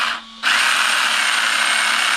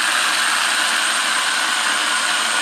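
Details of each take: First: RC car with the battery in, motor run gently rather than full throttle, pinion pushed hard against the spur gear: the motor spins up into a loud, harsh, steady high whine with a gritty edge, meaning the gear mesh is too tight. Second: RC car, motor moved away from the spur gear while running: a steady, smooth high electric whine with no tight grinding. It quietens down and gets no quieter with further movement.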